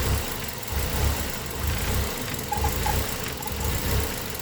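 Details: Engine with code P0400: idle lopes and surges roughly once a second with uneven speed dips; spray, evap and brake-booster tests showed no change. The EGR valve was found stuck open though its lift sensor didn't show it.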